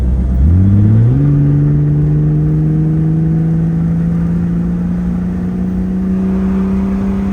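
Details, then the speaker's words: Jeep WJ at 204,000 miles on its first test drive in probably about two years, windows down: a deep booming tone climbs with the revs, then holds a droning hum while cruising, because the exhaust is cut off just before where the muffler should be. "so I'm not sure how well that's going to show up on camera but it sounds terrible it's just cut off right in front of where the muffler would be"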